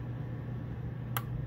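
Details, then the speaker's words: Coleman Mach 8534 RV rooftop heat-pump air conditioner, front unit, fan started first: a sharp click as the compressor engages, amps jump, fan hum continues evenly; compressor and fan both working. "there it went you see the jumping amps so I know both the compressor and the fan is working doing their job"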